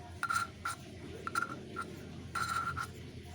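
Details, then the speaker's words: Hand valve lapping for beginners, push-and-twist strokes: short scratchy rasping about once a second in a quiet room, repeated until the valve-to-seat friction sound turns smooth, then cleaned and polished with Autosol. "Lakukan berulang-ulang sampai bunyi pada gesekan klep ini menjadi halus. Kita lakukan berulang-ulang sampai suaranya menjadi halus."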